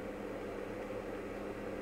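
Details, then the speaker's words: PlayStation 2 Slim powered from a bench supply with a Simpsons Hit and Run disc: soft, steady whir with a faint even hum, no ticking or grinding; the disc spins up and reads normally. "I'm sure I can hear that disc. The disc is actually doing something."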